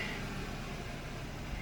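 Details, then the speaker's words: 2008 Subaru Outback, EJ25 non-turbo, 5-speed, about 96,000 miles, idling hot. The idle wavers and stumbles, worsening with heat soak until it stalls. An oscilloscope traced the misfire to a failing ignition coil. "it's really just idle that's the problem she just don't want to idle and she'll just do that and the more it gets heat soak the worse it gets"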